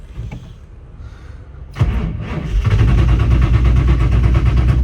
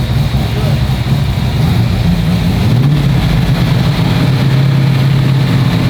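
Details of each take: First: Ford GT40 that sat over 20 years with zero miles, just fueled at a gas station. Slow, labored cranking at about four pulses a second never catches because the battery is dead. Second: Abandoned GT40 V8 first running after 21 years with new ITBs and transmission, engine still cold: once it catches it settles into a steady, even, low rumble with no misses or stumbles; healthy idle.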